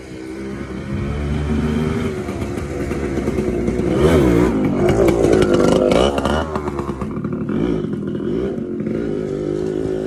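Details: TC125 two-stroke dirt bike after a carb clean and a new fuel line with filter, on a cold day: crisp buzz rising and falling cleanly with throttle, no misfire or rattle; normal healthy running.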